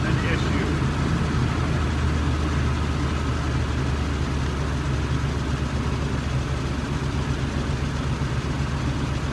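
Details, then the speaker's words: 1993 Nissan D21 Hardbody 3.0 V6: steady low idle with an uneven, lopsided beat, one cylinder dead; pulling its spark plug wire changes nothing; gummed-up fuel injectors found, some already replaced; cylinder misfire from clogged fuel injectors. "bad and and uh the injectors were gummed up and that's what we found on that so we know we got the same problem up here"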